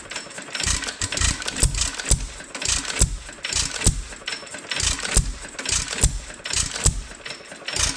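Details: Roughly 100-year-old 2.5HP Alpha DeLaval hit-and-miss engine with Wico EK magneto and original spark plug, cranked choked with ignition retarded and the oiler on: sharp, regular pops about twice a second with clattering between as it catches and runs steadily.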